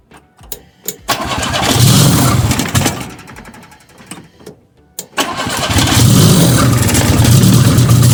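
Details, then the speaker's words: Fiat 125 (Bialbero), repeat start test of a new, not yet finally fitted CNG carburettor injector; owner thinks it lacks gas and needs regulation. Engine catches, revs, stumbles and nearly dies, then catches again with uneven low beat. Misfire. "Aún así creo que ya es suficiente como para animarme, porque todo esto ya es regulación. Voy a hacer una prueba más. Volvió a fallar."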